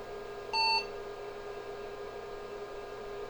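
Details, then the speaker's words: IBM 5150 PC build, motherboard newly screwed to case: power-on self-test error beep with faint fan hum; owner suspected the new motherboard screws, and after removing them the error changed (4098) and it booted to BASIC. "just a series of long beeps maybe my screws have something to do with it we'll take those out and try him again because nothing else has changed since the last video that's definitely something to do with it"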